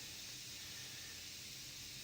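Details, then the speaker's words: Faint steady high-pitched hiss of air leaking where a new go-kart tyre's bead hasn't seated on the rim, before inflating it to seat the bead. "Now, you can probably hear the air leaking there. Have your inflator there ready to go."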